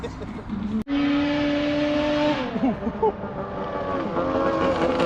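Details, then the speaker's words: Arctic Cat F7 two-stroke snowmobile at full throttle on a drag pass, heard passing by, run after it had snuffed out on the stand; fuel swapped for oil-mixed fuel. Sharp steady scream dropping in pitch as it passes, no stumbling: running healthy. "Well, it ain't blowing up. That sounded like it was hauling the mail right there."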